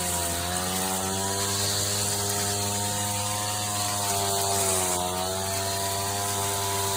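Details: 39-year-old vintage Toro weed trimmer, Japanese-made small two-stroke, after freeing a stuck throttle cable, first run in years: steady high buzzing drone at even pitch, dipping briefly and recovering; normal running.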